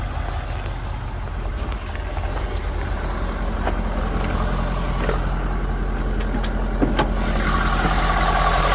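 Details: 2018 Ford F-250 6.7L Power Stroke diesel idling after fuel filter and water separator replacement and priming: steady low diesel rumble, even and unbroken, with light handling clicks; no leaks, healthy normal idle.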